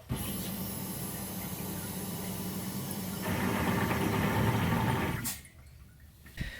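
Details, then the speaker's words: Turbo LS Escalade fuel pump, modified setup: steady whir turns louder and rougher partway through, then cuts off; owner believes it's sucking the basket dry as fuel runs low, causing it to run progressively leaner; stock setup didn't do this. "so i'll let it sit for a little bit and then i'll run it again and it'll do the same thing it'll sound good and then it'll go loud"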